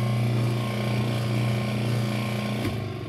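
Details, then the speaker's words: Used Kenmore/Whirlpool 80 Series washer, also missing agitator dogs: loud low motor hum with rapid rattling chatter, the sound of a failed motor coupler. "that is the sound of a motor coupler so i'm going to take her apart and show you guys"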